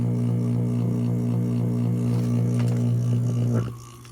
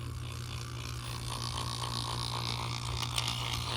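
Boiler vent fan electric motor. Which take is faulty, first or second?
second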